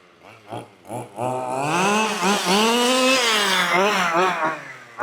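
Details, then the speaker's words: 1/5-scale petrol RC car two-stroke after leaning the low-end needle from too rich and sluggish: blips, then holds a clean steady buzz rising and falling crisply with throttle, no bogging; normal running, well tuned. "So, we can lean it a little bit on the low. Oh yes, there we go, let's bring it back."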